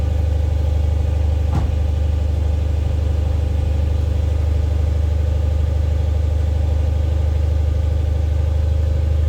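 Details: 3UZ-FE V8-swapped Mercedes C-class cold-started for the first time in 4 months (battery 11.5 V at ignition on): steady, even idle at about three and a half pulses a second, no knocks or misses; starts without issues, a normal healthy cold idle.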